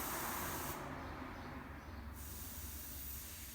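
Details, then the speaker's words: Dolium disposable keg during manual filling with self-regulating relief valve: steady gas hiss that thins then returns as the gas compresses while filling and the valve opens; normal CO2 venting. "Donc, évidemment, au fur et à mesure du remplissage, le gaz se comprime et la soupape se met en route."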